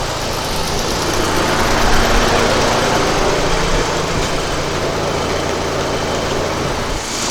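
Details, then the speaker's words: 2008 VW at idle during AC recharge after replacing a faulty compressor valve: steady idle with an even rushing fan roar, no squeal or rattle; condenser fans running normally, cabin air at 57–58 degrees. "you can hear the fans coming on the condenser fans and this is the temperature inside the car 57 58 degrees"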